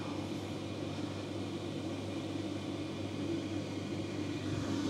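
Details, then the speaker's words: Electrolux/Simpson/Westinghouse clothes dryer after fan replacement: steady even hum with soft low rumble, no scraping or fan noise; normal running after repair. "Let me put my mic down. You can hear there's none of that fan noise. It's excellent."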